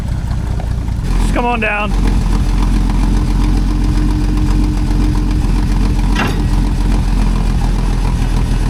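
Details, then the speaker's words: Old Allis Chalmers forklift at idle, loud with a loose uneven rattle heard at idle or when revved but not at speed; hydraulic pump coupler's rubber insert gone, engine itself sounds good. "You know what that noise is? It's the coupler on the hydraulic pump. Probably got a low joy in it. The rubber's gone."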